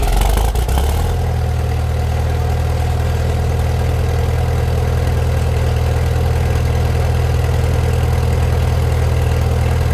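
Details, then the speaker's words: Farmall Super M-TA gas tractor with new wiring, alternator conversion, started with a little choke and no starting aid: steady, deep, even idle after catching, no knocks or misses; normal idle, sounds good and thunderous. "Sounds good, thunderous."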